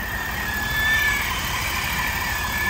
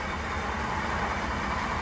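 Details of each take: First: 2022 Ford F-350 with a noise only when engaging 4x4, heard through a stethoscope: a thin, high chirping squeal comes and goes every couple of seconds over a steady rushing hum, pointing to a squealing front axle hub seal. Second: 2022 Ford F-350 in 4x4 and drive with wheels off the ground, after replacing the front axle shaft hub seal that caused a noise on engaging 4x4: a smooth, even drivetrain hum with no clicking, grinding or whirr, now quiet.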